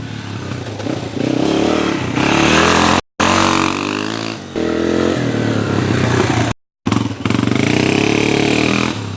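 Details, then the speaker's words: Yamaha TTR230 single, stock carb, fully warmed up after fuel screw adjustment: it starts easily and revs with a slight stumble on throttle opening and the odd pop on decel; still a touch lean. "it's maybe a touch lean but it's a lot better it's not really boggy and it backfires very little which is fine on deceleration"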